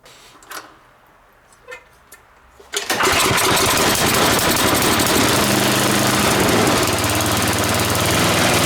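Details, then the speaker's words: Snowblower after primer line replacement, primer bulb working: quiet handling, then engine catches and settles into steady even small-engine run, no misses or knocks; runs fine. "and once you're done working on some equipment guys you always want to start it up to make sure everything's okay"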